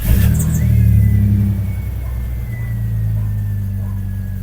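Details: High-mileage daily-driver Jeep Cherokee XJ after replacing the oil pressure sensor/switch for a zero oil pressure reading; cranks and catches quickly, flares briefly, then settles into a smooth, even idle with no knocks or ticks; normal start and idle.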